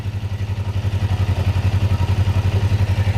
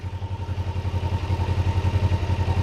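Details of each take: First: Parallel twin (Ninja 500R) at operating temperature, idle set to about 1300 rpm after carburetor/throttle synchronization; steady, even low putter with no misses or hunting, sounds healthier and more synchronized; normal idle. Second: Kawasaki Ninja 500R parallel twin, warmed up, idling around 1300 rpm with gauges damped: lumpy, slightly uneven pulse between firings; carburetors mildly out of sync, before adjustment.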